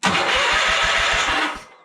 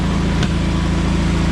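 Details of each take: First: John Deere 317 lawn tractor after engine reinstall, first start attempt: brief crank, pause, then long even chugging crank with no firing; fuel filter empty and still filling. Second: John Deere 317 lawn tractor after reassembly, on a test drive: a smooth, even low rumble with no misses, though it had two intermittent shut-off backfires. High-end rpm seems only about 3000 instead of 3450. Runs nicely overall.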